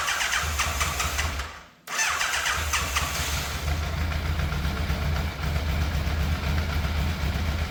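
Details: Fire-damaged Yamaha FZ750 with the choke confirmed fully off. It starts, nearly dies, then hunts at an uneven idle that dips and doesn't sound smooth. The owner suspects the carbs despite cleaning.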